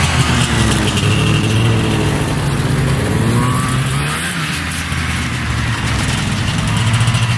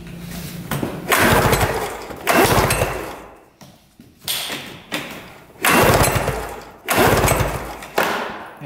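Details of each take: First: Arctic Cat Panther 440cc two-stroke snowmobile, bought as no-spark non-runner, on test drive after fix: buzzy engine climbing and easing off with throttle, pulling cleanly without misses or stumbles, still smoking; running well. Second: Arctic Cat Panther 440cc snowmobile that had been sitting and died while being ridden last year. Repeated rope pulls, each a whirring churn fading out with no firing stroke; zero spark and no start (CDI suspected).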